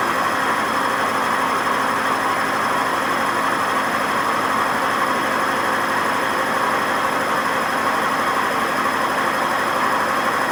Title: WMA50 spinning without ballast, and very bad bearing noise